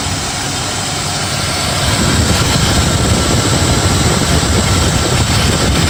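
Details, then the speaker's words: BMW E34 with M50 engine at idle after replacing the belt tensioner mechanism and tensioner pulleys: the cricket-like chirp is gone, steady even hum, engine runs like clockwork; the tensioner mechanism, not the pulleys, was the cause. "как слышите звук пропал мотор работает как часы"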